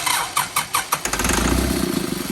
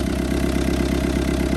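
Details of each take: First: Old Kubota M7500 tractor being primed after its injection pump was rebuilt: the starter churns in quick even pulses, then the engine catches with a short rough roar and fades, running on ether only, without fuel. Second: Old Kubota M7500 tractor with a newly rebuilt injection pump, after priming with ether, now running on its own fuel with one injector not yet tight and leaking fuel: a steady, even diesel chug at fast idle, no knocks.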